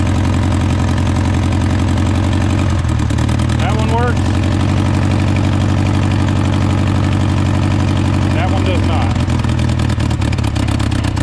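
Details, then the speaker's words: Honda Civic sitting about 10 years, first start after fuel rail refit: deep idle with a lumpy, stumbling pulse and smoke; cylinder 2 not firing, misfire, spark plug to be checked. "runs it runs look at that and it SM smoke we do have a cylinder misfire"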